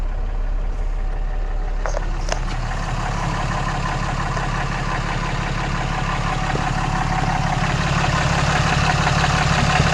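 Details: 2014 Cummins 6.7 diesel idling after a CAT 1R-0750 fuel filter install on a BMP housing, primed to about 10–11 psi: deep, steady idle with an even clatter at about three beats a second and no stumbling; healthy idle.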